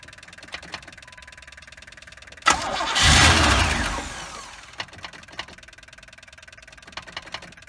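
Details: 1984 Pontiac Trans Am V8, 5-speed, barn find cold start after sitting many years: faint ticking, then long cranking that barely catches and drops to a quiet idle; hard start, extended cranking, cause unknown.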